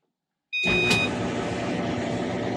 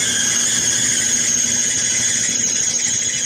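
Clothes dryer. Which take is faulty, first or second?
second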